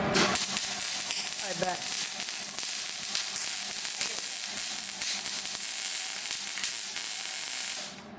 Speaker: You're moving really fast. Yeah. You want to move it really slow. That's why it's really. Goobery.